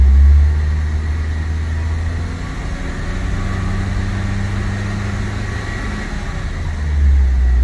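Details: Evo 5 GSR, after replacing a seized ABS sensor, checked on a ramp with the ABS light going off. Steady, deep, even engine drone with no knocks or misses, just wheel hum under it; runs cleanly.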